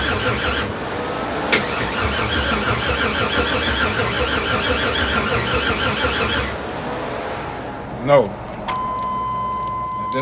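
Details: LS6-labelled 6.0 LS swap with 80 lb injectors and new fuel pressure regulator: steady fast cranking about six seconds that never catches, then key released; cranks but won't start, owner blames a dead battery being charged.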